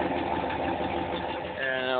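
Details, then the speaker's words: 1993 Dodge Dakota with a 5.2 L Magnum V8, idling and heard from outside: steady, even idle with a regular exhaust burble and no knocks, misses or ticks; healthy idle. "let me start it up for you and there's the glare all right here we go I'll do it from the outside okay this is her just idling"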